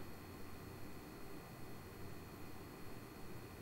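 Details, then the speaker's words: RCA RPJ136 home theater projector recorded with the microphone about 1 m away: quiet, steady airy fan hiss with a faint high-pitched tone, no rattles or surging; normal cooling fan noise. "So yeah, that noise was measured with the microphone approximately 1 meter away from the projector, and the RCA does have kind of a high-pitched sound coming from it."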